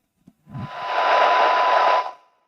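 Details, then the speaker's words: Radio receiver bench test: 1 kHz test tone about 9 dB below a −120 dBm signal, nearly swamped by loud frying hiss. Weak signal close to squelch muting. "That's 9 dB. You can hear the 1k tone in there, but the frying bacon is taking over."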